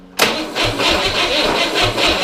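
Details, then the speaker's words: Refurbished 1961 Corvair air-cooled flat-six on a bench after at least 20 years sitting in a field: cranked with ignition off, brisk even cranking pulse, no firing, turns freely without binding or scraping. "so we're not going to give it ignition yet i'm just going to hit the switch to get it to turn over"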